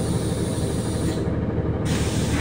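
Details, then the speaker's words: Bus(?) moving: loud steady rushing hiss over road rumble, like air escaping from a large inflatable, stops when vehicle stops and returns when driving; not the air conditioner, air leak source unknown. "Как будто вот воздух, знаете, когда ну, вот какое-то большое надувное изделие спускаешь, воздух вот такой, как будто воздух идет."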